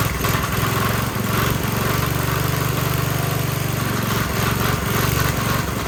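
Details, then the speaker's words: Briggs & Stratton 5 hp generator engine: single cylinder chugs unevenly, speed hunting up and down, barely keeps running; surging. Owner suspects the governor arm position and plans to loosen its nut and reposition it. "So I suspect that's what's causing it kind of to start but not run."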